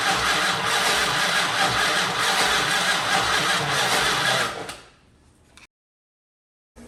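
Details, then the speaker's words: 1968 Dodge Monaco 500, rebuilt 440 Magnum V8 after 36 years: about four seconds steady cranking with no firing; both 12 V and half-power sides of original fender-mounted ballast resistor were unhooked. "okay so what we found was over there on the side of the fender there's the original ballast resistor one side has 12 volts one has about half power the half power slide wasn't hooked up and neither was the 12 volt"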